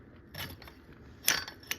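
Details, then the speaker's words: Phantom 85 clutch turned by hand: gritty metallic scraping and clicks from the clutch guide bearing missing about three rollers, with visible wobble; first mistaken for rod bearings, fix is a new sealed-bearing clutch. "so this thing started making really bad noises and I thought something wrong with the rod bearings or something but then I messed around at the bike pushed it around I figured it was a clutch opened up the clutch and uh yeah missing bearings"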